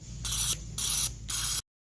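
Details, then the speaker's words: 2016 FAW XPV, injector spray test: three crisp, evenly spaced hissing bursts, the injector spraying correctly. The third injector was later found clogged. "Injector जो है ना सही spray कर रहे [संगीत] है"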